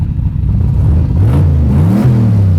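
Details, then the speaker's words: Bonemaro, the Hot Rod Garage street/strip car with a fully built turbo V8, just fired up, great oil pressure: deep, lumpy V8 rumble climbs with throttle blips and drops back cleanly; strong, healthy engine. "I'm stoked. It fired up. It sounds awesome. It's got great oil pressure."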